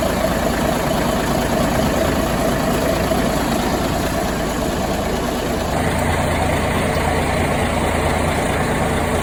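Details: 1973 Ward LaFrance fire truck, Cummins turbo diesel and Allison PowerShift, after coolant leak repairs and a long spell on the charger: steady, even idle with a low constant rumble, no knocks or misses; running healthy.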